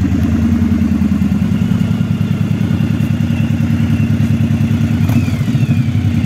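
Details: Yamaha DragStar XVS 1100 after extensive service including starter clutch and timing work: even, deep V-twin thump at steady idle, no rattles or misses; running properly.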